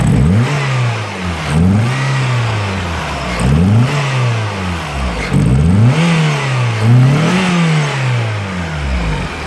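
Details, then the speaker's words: Peugeot 106 GTI misfiring under acceleration: repeated quick revs with a rough, uneven stumble as the engine climbs, caused by the cylinder 4 coil pack arcing to the cylinder head. "we've got a little 106 GTO at home I'm here today it's got a misfire an acceleration I'll just visually inspect her"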